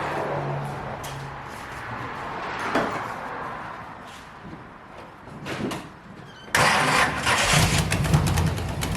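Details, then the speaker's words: 1971 Chevy Nova small-block V8, misfire with timing too far advanced, plugs dry: runs rough with sharp raspy puffing at idle from a blown-out left-bank header gasket, later sealed with aluminium silicone. "let's get this thing quieted down because part of why this thing sounds like crap more so than runs like crap is it's got just a blown out header gasket on the left bank"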